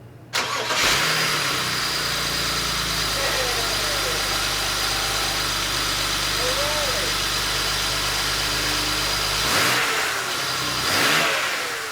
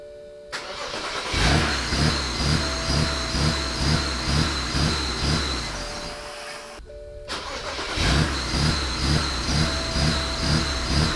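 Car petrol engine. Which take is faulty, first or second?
second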